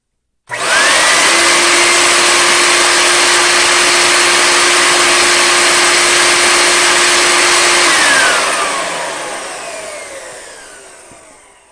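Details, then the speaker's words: Riccar 8850 vacuum motor after a bearing repack, reinstalled, drawing about 10.5 A at no load: a smooth, steady high whine with no rumble, then an even wind-down. The motor runs normally. "that's so much better I've got about ten and a half amps under no-load so we're in good shape"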